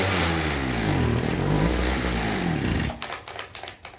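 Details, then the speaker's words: Old two-stroke string trimmer that had been failing to start and not drawing fuel up its line: it buzzes with a wavering, unsteady pitch for about three seconds, then stumbles and dies. Runs rough, and a bad carburetor diaphragm is suspected. "it's acting like it's dirty it sounds like the diaphragm or something it's probably the diaphragm"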